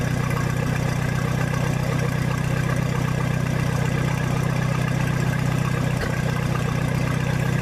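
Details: 1966 U302 Super idling under its own power after earlier rebuild issues were corrected: a loud open-exhaust idle with a steady, even low beat that never stumbles, sounding healthy.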